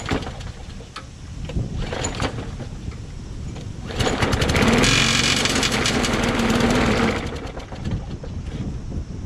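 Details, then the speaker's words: Craftsman push mower: catches and revs with a rapid regular clatter underneath, about four hits a second; blade striking a pushed-in deck baffle, fixed by bending it back. "Well, engine starts, but something hit in the bottom there. So I figured out what the sound was. I looked underneath after I heard that sound again, and I looked around the deck to see where the scratched area was, and it's just a baffle that was pushed in a little."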